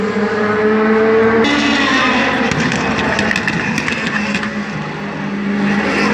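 Race V8 drones past with sharp, irregular pops and stumbles breaking the exhaust note mid-pass, pointing to a misfire.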